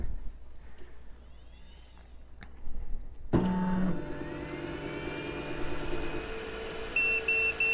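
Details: Geeetech Giantarm D200 3D printer after reseating the hot end connection: sharp power-up click, short beeps and a fan spinning up to a steady hum; starts normally and detects the hot end with no error.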